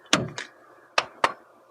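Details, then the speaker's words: Renault Megane, 117,000 miles, dented door panel: a few sharp clunks and a scraping knock as the door opens; owner unsure whether it needs oil or is catching slightly, not too bad. "if you can hear that now I don't know if it just needs an oil or whether it's catching slightly but it seems okay it's not too bad"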